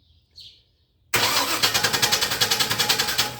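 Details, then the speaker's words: 2000 Chevy C3500 after fixing a voltage drop in the ground cable, battery at 12.15 V: starter turns over briskly with strong even beats about three and a half per second, voltage dipping to about 10.5–11.6 V while cranking; healthy cranking. "I'm going to crank it has dropped to 10 and a half and went back up to I think it was 11-6 while it was cranking"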